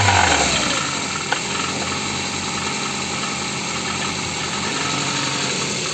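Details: Ford engine knocking: catches and settles to a rough idle with a fast, steady metallic tapping of about three per second; cause of the knock unclear.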